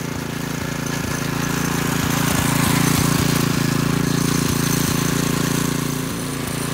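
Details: McClane 3.5hp edger with Briggs & Stratton engine, after a carburetor tune-up, oil change and fresh fuel following years of sitting, started cold. A steady beat at about three to four pulses a second, even and clean under cutting load. Runs well.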